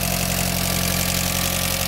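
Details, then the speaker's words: Mitsubishi Eclipse GSX (DSM) idling after its build, block confirmed good and no smoke seen; steady even idle with a smooth low rumble and no top-end ticking; checked for cooling leaks; normal idle. "it sounds good guys sounds really good"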